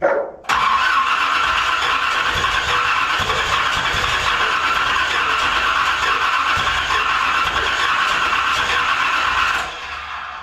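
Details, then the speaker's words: 1981 Corvette V8, being cranked again during timing troubleshooting: it catches after a short crank, then runs with an uneven, lumpy beat. The owner suspects the timing is at least a tooth off. "All right, I gotta be at least a tooth off, I do believe. Hey, but we're closer. That's good."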